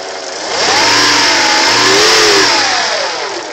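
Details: 1988 Acura Legend engine, throttle blipped: a clear whistling whine climbs and falls with engine revs over the engine note. Engine whine rising with revs; the source is unknown.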